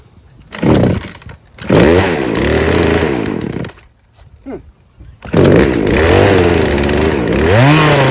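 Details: Craftsman 16-inch 38cc two-stroke chainsaw climbing cleanly to full throttle and holding without stumbling or bogging, backing off between pulls; low and high fuel-air mixture judged perfect, nothing wrong with the saw.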